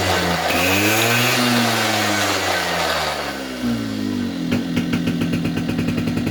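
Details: 2004 Polaris Predator 50 two-stroke mini quad after new carburetor and corrected float height: buzzy idle revs cleanly from dead idle without hesitation, bogging or flooding, falls back and ticks over steadily; normal idle and throttle response.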